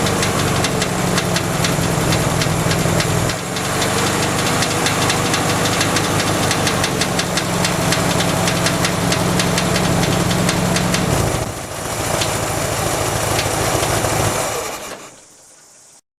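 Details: 1967 VW Beetle air-cooled petrol engine has developed a strange knocking at idle, steady about four a second, then shuts off; cause unknown.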